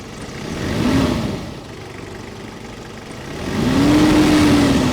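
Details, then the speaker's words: Cold start on an old used car with 300,000 on the clock, heard under the bonnet during a pre-purchase inspection. It catches, idles evenly and takes two smooth revs, with no whistle, belt rub or knocking. A healthy, normal engine sound. "là, on n'a pas de sifflement, on n'a pas de courroie qui frotte, rien qui semble suspicieux au niveau du bruit. On est content, c'est ça comme bruit que le moteur doit faire."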